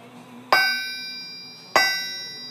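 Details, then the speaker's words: Stock forged Nissan RB30 crankshaft, removed for a turbo build and due to be ground, struck twice: each strike leaves a clear high ring lasting over a second; a sound forged crank, unlike a cast one, which rings only briefly. "You can tell it's a forged crank. Well, look at this. RB30 cranks come out stock forged. Most cranks are cast."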